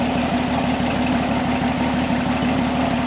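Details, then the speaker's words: 1979 Jeep CJ7 off the road for over 30 years, cranked with gas poured down the carburetor: steady even cranking at about three beats a second, never catches; fuel pump hose ticking but not drawing any fuel from the tank. "come on go go I can feel this hoose ticking like that thing's pulling but definitely not pulling anything out of here"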